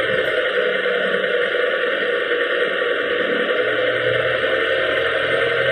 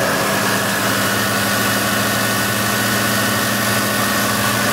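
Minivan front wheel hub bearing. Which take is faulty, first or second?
first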